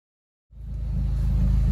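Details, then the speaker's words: Mitsubishi Colt Ralliart (CZT) after custom Dynodaze manifold fitting; engine catches after short silence and settles into smooth even low idle, no knocks or rattles. "Oh, she's purring, so let's see what Jason's done."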